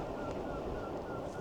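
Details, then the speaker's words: Engwe EP2 3.0 Boost e-bike riding after fitting folding BMX-style handlebars: short high chirp about three times a second keeping time with the front wheel, like a mouse trapped in it; pressing the brake makes no difference, cause not yet investigated. Front wheel squeak. "It's like a little mouse trapped in the in the front wheel, I think it is. And it's not the brake cuz I'm if I press the brake it's um it's not making any difference."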